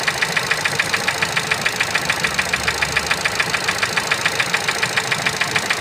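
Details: Ford Focus 3 with 125 hp engine at idle: sharp, even ticking knock about three or four times a second over a steady idle; clear internal engine knock, cause unknown.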